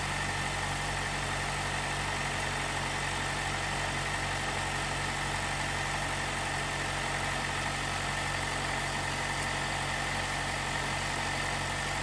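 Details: 2018 Jeep Wrangler JL, 2.0L turbo, after replacing the timing chain tensioner to cure a rattle on cold startup: smooth, steady idle hum with no chain rattle or ticking, quiet and healthy.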